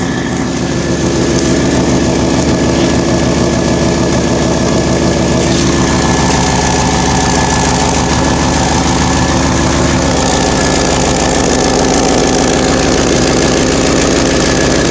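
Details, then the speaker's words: Idling engine with a puffing, ticking chuff in time with firing: exhaust escaping where the exhaust flange has rotted away, a carbon monoxide safety concern. "Safety is an issue. I hear exhaust leak."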